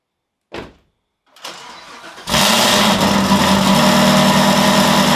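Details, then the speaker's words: Chevrolet Camaro, fresh cold start: quick crank, a firm catch, then a steady, even high idle with no ticks or knocks; normal cold start and idle. "so i figured since the car's back we'll throw it in a video of a fresh cold startup so let's see what it sounds like"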